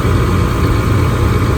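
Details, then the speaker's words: Gas furnace that was blowing cold air, after breaker reset, panel off: steady deep draft-fan hum, no rattle or surging, while igniter glows; normal ignition sequence. "and there it is. Waiting on our flames to come on. There they are."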